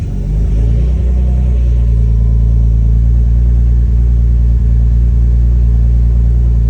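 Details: BMW E46 ZHP turbo with freshly rebuilt forged M52 (new bearings, rings, forged internals, cams), first start on base map: fires into a deep even rumble, clean rev blips, no knocks or misses; healthy.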